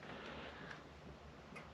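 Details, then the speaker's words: Bailey motorhome heater element switched up to 2 kilowatts; a few faint, sharp clicks over a quiet room hush as the element switches in, normal relay engagement. "There you go. I've heard it just click."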